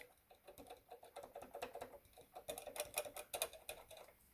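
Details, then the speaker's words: Casio CTK-3500 keyboard after fix with tape on the key contacts: soft, uneven key taps in a quiet room with no more clicking noises. "it's difficult to demonstrate but there are no more clicking noises"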